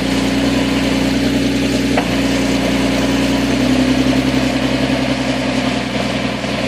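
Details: Nissan 370Z with single-piece lighter flywheel, cold start idle: busy, uneven gearbox rattle over engine hum, subdued after switching to thicker Redline MT-90 gear oil; shifts hard for about 5 minutes until warm.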